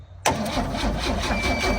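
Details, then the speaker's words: 1966 Chevrolet C10, first start attempt with choke on, battery possibly weak: starter churns with a steady, rhythmic whir but the engine never fires; cranks without starting because no fuel is reaching it. "No fuel yet. Yep. I don't think this thing's got the juice to bust her off."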